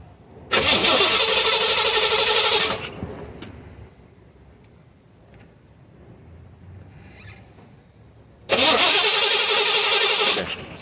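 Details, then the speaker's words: 1984 Chevrolet Corvette 5.7L cranks evenly at about four beats a second in two long bursts but never starts; spark and injector pulse confirmed good, no fuel delivery, failed fuel pump. "um it has a fuel pump issue i already tested it but i'm just going to show you how i got there this is cranks no start"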